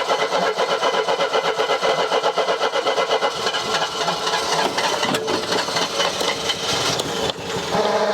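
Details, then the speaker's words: Mercedes W123 230E petrol: steady starter cranking at about four compressions a second for several seconds, never catching. The engine turns over but won't fire; cause unconfirmed. "in case you forgot what this thing sounds like when it's not starting here's a quick"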